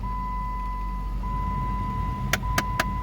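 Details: 2014 Jeep Compass, key on, fan switched on: blower hum with a steady tone, then four sharp clicks about four a second from behind the glove box, a failing blend door (air door) actuator.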